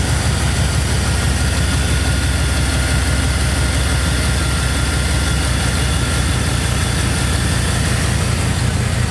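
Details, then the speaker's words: 2002 Chevrolet Silverado 2500HD, new ACDelco power steering pump just installed, wheel turned lock to lock in shop: steady low idle with no whine or groan; pump sounds quiet and healthy. "I'll turn the wheel all the way back and forth get sounds pretty good guy"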